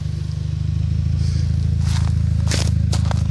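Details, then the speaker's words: Skoda Octavia A5 at idle: irregular scratchy rubbing squeaks (kyk kyk) in the engine bay, appearing about a minute after startup; owner thinks not the alternator, source unknown, no effect on performance. "Ну не знаю Был слышно не был такой звук как что-то трёт кык кык кык кык что-то в этом роде если есть У кого какие догадки Говорите пожалуйста"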